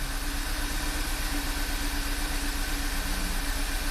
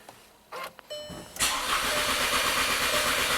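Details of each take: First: Direct-injected VW turbo GDI petrol engine after high-pressure fuel pump replacement and oil change (gasoline was in the crankcase): uneven loping idle with a brief surge; misfire counters show cylinders 2 and 1, codes P0301/P0302. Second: VW Tiguan turbo direct-injection after new high pressure fuel pump and oil change, cranking with coils disconnected (no ignition) after swapping spark plug 2 into cylinder 1; brisk uniform cranking beat, no light strokes: normal cranking, compression okay.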